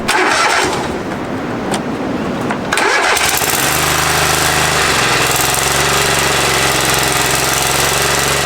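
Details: Free Craftsman riding mower, previously said not to run, owner found battery issue; brief cranking, catches promptly, settles into even steady idle with no misses or knocks, before fuel drain and oil change; normal start and idle.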